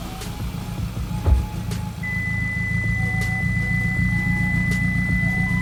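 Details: Hyundai Elantra stock engine with big turbo, after replacing broken exhaust V-clamps, checking for exhaust leak: even idle building smoothly on revs, no puffing or ticking; no leak, fuel pressure 70, good oil pressure.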